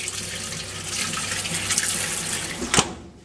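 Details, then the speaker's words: Fisher & Paykel MW511 washing machine on its first test run after the error 130 rotor position sensor fault repair on the Smart Drive motor: water rushes in with a steady splash that stops cleanly; normal fill, fixed. "so as we can see now we've got a bit better result the fit in the middle is spinning which means it's fixed pretty"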